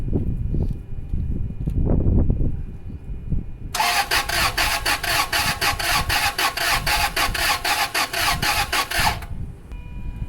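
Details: 2002 Toyota Sequoia V8, crank no start, no codes, already parts-hung by a shop: steady starter whir but uneven compression pulses and erratic cranking cadence, never catches; fuel smell in oil suggests cylinder wash, engine damage possible.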